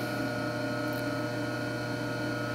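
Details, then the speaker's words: Clausing 5913 lathe variable speed drive, after new belts and bleeding the hydraulics, partly disassembled and not bolted down: a steady fine hum with a low drone, a vibration felt through the floor; source unconfirmed, possibly the upper belt or clutch. "a real fine vibration you can actually feel it in the floor just a little bit because we're not bolted down"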